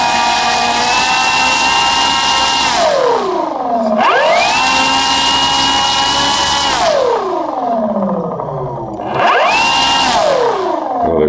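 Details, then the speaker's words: Starmax 1600mm P-51 Mustang electric RC plane, motor held on ground at full throttle after a power-loss crash; loud steady high wail sliding down as throttle drops; owner suspects ESC timing setting. "God it sounded like something seized up I mean it sounded like it was seasoned I went to gun it and that's what was making that noise"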